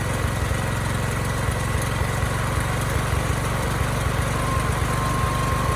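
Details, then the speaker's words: Briggs & Stratton generator repowered with Subaru EX30 (EX300D52011) engine, no load, carb running rich, possibly too slow: steady, even single-cylinder running, engine sounds good but no power output; failed rectifier diode. "there's no power but it might be running too slow"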